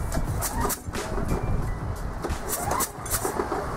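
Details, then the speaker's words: Craftsman snow blower Briggs & Stratton small engine running unevenly after popping through the muffler and stalling: sharp airy puffs leaking at the cylinder head, not the exhaust, from a blown head gasket. "guys hear that puffing sound it's not coming out of the exhaust it's coming it sounds like it's leaking it sounds like it's leaking somewhere in this area"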